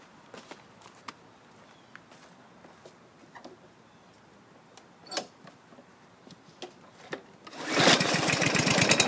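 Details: 2014 lawn mower, choke linkage bent so choke fully closes when cold, oil level correct, previously run 15 minutes: after quiet fumbling the engine comes in with a steady, even buzz and no misses or knocks; healthy.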